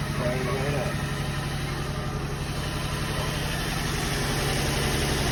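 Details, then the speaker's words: Nissan 350Z/Infiniti G35 V6 after valve cover gasket replacement: steady even idle, sounds better than before, with no ticks or knocks; exhaust has holes. "sounds better than before"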